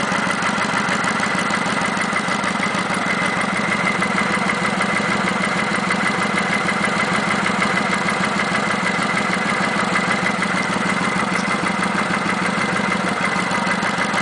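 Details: Kawasaki Vulcan 900 V-twin at idle with a light, even tick about twice a second and no knocking. The tick has been present since 1,000 miles, is on every VN900, and is normal.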